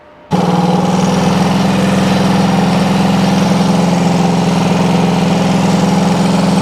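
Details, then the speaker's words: 1974 Honda CB360 twin, first start of a bike built from parts bikes: engine catches into a fast, uneven, ragged idle, running but out of tune; ignition timing well off, left and right cylinders differ, plug gaps incorrect, needs full service. "it's definitely going to need the whole service the gaps and stuff are not correct it's running obviously but it's uh yeah it needs to be tweaked"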